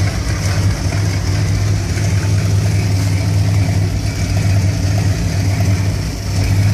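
Deep V8 idle with an uneven, lumpy beat that wavers instead of running smooth; a warm rough idle, cause not pinned down.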